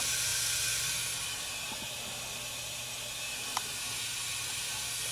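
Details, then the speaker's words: Electric water heater elements heating with a soft steady hiss and faint hum after breaker kept tripping; fried wire nut and roasted wiring were stripped and rewired, breaker reset, heater now working normally. "reset I heard it come on hear that hissing that's the elements"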